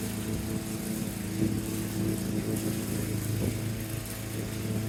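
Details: 1987 Lawn-Boy 8073B two-stroke mower, started after sitting about a year with new capstan rollers fitted: a steady, even drone with no misses; hard to start, but it runs normally.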